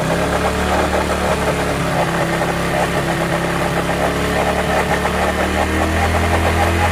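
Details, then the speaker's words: Hero Glamour single-cylinder bike idling: steady exhaust with a busy, clattery mechanical rattle over it; engine making a bad abnormal noise, cause not identified. "Glamour bike है, देख सकते हैं कितना बुरी तरीके से आवाज़ कर रही है।"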